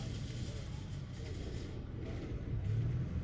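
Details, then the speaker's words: Toyota Tacoma stopped at a drive-thru, foot off the accelerator: steady idle rumble swells slightly in pitch and loudness as the steering wheel is turned either way, tachometer rising; idle speed rise when steering. "You don't have to touch the acceleration pedal at all. If you simply turn the wheel one way or the other, it revs up a little bit."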